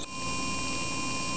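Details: DDC pump repaired with a new DIYINHK PCB (PWM upgrade), speed varied via BIOS with microphone right next to it, up to 5200 rpm max, above factory (believed ~4200–4600): steady high-pitched whine over constant hum, noise changing with rpm, no grinding; running cleanly.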